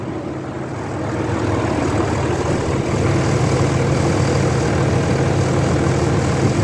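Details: 2003 Dodge Ram 3500 dually diesel idling after fluid refill and oil change: steady even low clatter, no knocks, ticks or squeals, nothing leaking; rear-corner oil leak hopefully fixed with new gasket, blow-by being checked; sounds healthy.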